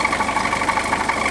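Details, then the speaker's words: 1991 JDM Toyota Cresta, sitting 10 years, first start after an oil change, at idle: steady high squeal over the engine from loose drive belts slipping; the AC and fan idler tensioner pulley bolt is stripped. "You can hear those squealing belts I was talking about."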